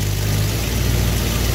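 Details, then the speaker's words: Engine idling after the initial ignition timing was set to 12° advance: steady low rumble settling into an even beat with no stumble or hunting, running smoothly. "all you hear how the engine smooth out now we are at 12° Advance that's your initial timing set"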